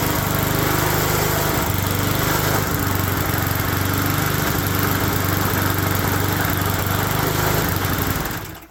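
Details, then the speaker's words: Neglected, sun-faded small engine: rough, buzzy, shaky uneven beat until shutdown; the top and bottom case bearings supporting the crankshaft are both worn out. "the case bearing on the top and the bottom that support the crankshaft are both wallered out"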